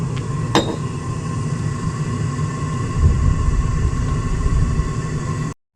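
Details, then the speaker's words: Brand-new Espar diesel heater in a Sprinter 4x4 after a new glow plug and removal of the burner assembly with its screen: even low roar with a faint steady tone, no popping or surging; burning cleanly, no smoke in 5 starts. "All right, so hear it? It's roaring. It has not smoked in 5 starts."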